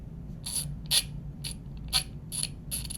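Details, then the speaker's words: Leatherman Garage 009 multitool ratchet, detent already wearing past its point: bursts of sharp high clicks about once a second, thin harsh chatter; owner unsure if normal, cause unclear, harsh ratchet clicking. "I do have a question for anybody who owns the Leatherman ratchet. Is it supposed to sound like this?"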